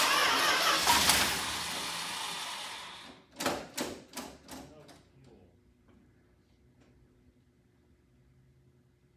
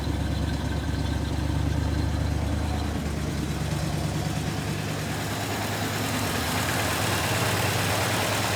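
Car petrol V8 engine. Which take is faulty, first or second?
first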